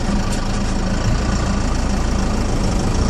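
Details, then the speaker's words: Cummins 4BT diesel truck idling after the fuel was turned up about one turn more. A steady, even clatter at a settled idle with no hunting or surging, noticeably quieter; the clutch engages smoothly and throttle stays responsive: a normal idle. "yeah it's a lot quieter i like it i like it a lot"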